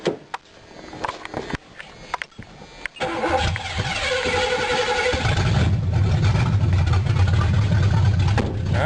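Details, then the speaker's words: 1982 Ford Granada just after fuel pump replacement with 10 gallons of fresh gas: a few clicks, then catches, revs up and settles into a steady low idle, possibly running a little rich; normal start. "Ronnie might be a little rich but she runs"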